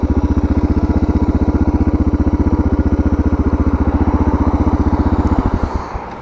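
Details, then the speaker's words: DR650 after carburetor and air box modification: even, quick single-cylinder thumping of about fifteen beats a second with no throttle, an idle set too high, before the idle screw is turned back. "You can definitely hear it revving more in idle."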